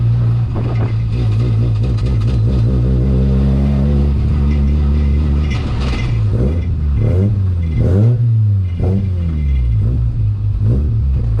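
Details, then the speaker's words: BMW E36 ute with a Mazda 13B rotary, driven through the gears. An uneven, stumbling note at low revs that smooths out higher up: a low-rpm misfire and it won't idle properly; owner suspects plugs fouled by long idling and overfuelling. "As you can hear, it's got like a misfire down low, so I've got to sort that out, and it won't really idle properly at the moment, so that's a little bit weird"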